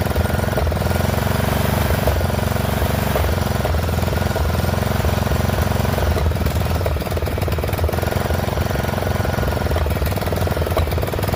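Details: Poulan XT 12538 riding mower, 12.5 hp single-cylinder, 38-inch deck, warm and running on a newly fitted carburetor after the old one leaked fuel into the crankcase: idle thumps unevenly, beat wandering and stumbling. Rough running; intake/exhaust valves suspected out of adjustment.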